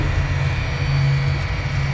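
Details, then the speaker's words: 2016 Honda Civic rear electric parking brake caliper, scan tool commanding normal mode: steady even low electric hum, no catches or grinding; motor retracting normally. "está si lo escuchan el motorcito se está contrayendo ok"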